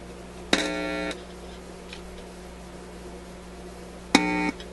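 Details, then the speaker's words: Koronette console stereo with no output from radio or auxiliary inputs: two short buzzy hum bursts as known test points are touched; the output stage responds but the fault is unresolved, and the auxiliary inputs give no hum. "Let me just double check on the output again and make sure there's something there. I'm just going to touch those points I know will generate a response."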